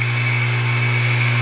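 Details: Water pump that cycles off every 4–10 minutes, kept outdoors with water entering the winding, drawing about 6.6–6.7 A: loud steady hum with harsh rough edge under strain; overloaded motor heating up and tripping the thermal protector.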